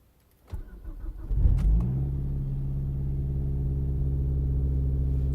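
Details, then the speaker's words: 2007 Mazdaspeed3 after DIY VVT actuator replacement: engine cranks and catches cleanly, then settles into a steady, even idle. The timing chain area gives none of the former startup VVT rattle. "is none it doesn't have that nasty when you start it up so I'm pretty happy with that"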